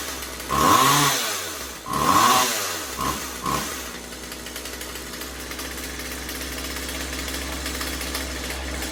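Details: Husqvarna 36 Special vintage chainsaw after replacing corroded fuel lines and filter and resetting carb high and low screws (previously maxed out) to one and a quarter turns: two crisp revs to a high scream, blips, then steady clean idle; running properly.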